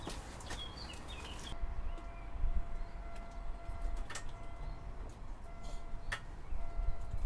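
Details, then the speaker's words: Aston Martin DB7 V12 with replacement engine, first start after reinstall, new injector O-rings: quiet steady low rumble with faint even whine, no misses or knocks; runs perfectly, revs eagerly, oil pressure normal. "Il tourne à la perfection... Et a une tendance à être particulièrement antousiaste à prendre de tours à la moins pression sur la pédale d'accélérateur. Impressionnant."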